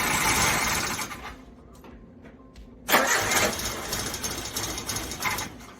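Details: Suzuki Samurai carbureted engine after breakdown, power valve replaced in the carburetor; starter spins in bursts with pauses but never catches, crank no start, cause still unknown.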